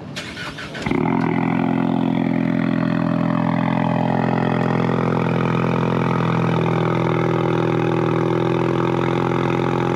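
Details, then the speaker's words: Cold start right after fitting new NGK ruthenium spark plugs: quick crank, then a strong, even high idle with no misfire or rattle; owner thinks it sounds crispier, not louder. "to me it actually sounds like uh crispier um if you will it's not necessarily louder crispier perhaps the big difference is it runs any different"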